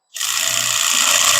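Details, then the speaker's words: Drill driving a screw into a pre-drilled hole with the clutch on setting 1: high, steady buzzing chatter as the clutch ratchets at its torque limit; normal clutch action, not a fault. "That means that it has reached that level. That's on a one. So that's as far in as it's going to take it on a one."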